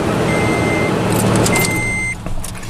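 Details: Car with a dead battery boosted with a Spanarci ZETA 2000 jump starter: steady starter whirr against heavy outdoor noise, then the engine catches and settles into a smooth idle.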